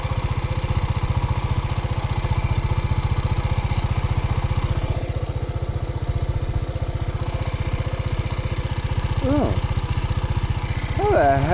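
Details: Ticking sound that began while out riding a dirt bike: quick, even ticking about three per second over a steady single-cylinder idle; a spring appears to have been lost, cause otherwise unclear.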